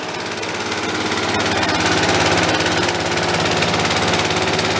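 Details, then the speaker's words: DR Power Wagon single-cylinder engine, apparently crash-damaged estate-sale find, cold just after first start, steady throttle: fast fairly even metallic clatter; seems to be just something rattling, not the motor, cause unconfirmed. "let's just give it some throttle oh [ __ ] I think it's just rattling though I don't think it's it's motor let's let that warm up"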